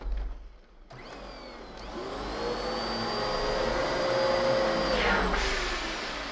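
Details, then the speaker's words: Dyson DC14 Animal vacuum: the motor whine sags and strains as the brush bogs down, then winds back up. Brush roller stall, from carpet that is too high, a bumped head, or a failing clutch. "that sound you just heard is what happens when you stall the brush roller either on too high of carpet accidentally bump the head or when the clutch starts going out"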